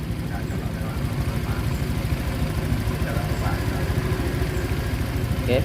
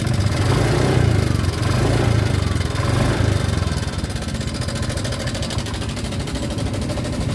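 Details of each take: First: Honda Vario 125 scooter at idle after a tensioner adjustment fixed a sudden rough ticking noise that began about two days earlier (oil still full, freshly changed); low, steady putter about three pulses a second with no rattle or knock, now smooth. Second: Honda Vario 125 scooter at idle, rough noise began suddenly two days ago; rough, fast metallic rattle over the idle: cam chain rattle from slack chain.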